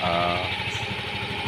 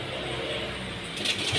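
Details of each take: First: Yamaha Mio Gravis scooter after repair: smooth, even idle with a steady beat and no ticking or rattle from the top end; the earlier loud noise was fixed by replacing the tensioner. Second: Yamaha Mio Gravis scooter at idle just after start-up, no check-engine light: loud fast metallic clatter over the idle, suspected broken cam chain tensioner; cam chain tensioner rattle.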